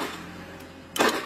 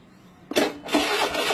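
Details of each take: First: Honda Beat FI scooter with a new battery measuring 12.42 V: one sharp starter click with no cranking, battery voltage not dropping during the attempt; the starter is later jumped directly to test it. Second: Honda Beat FI scooter that only clicked on the starter despite a good 12.42 V battery: with the starter jumped directly it cranks sharply and the engine catches at once into a steady idle; starter motor and bendix are fine.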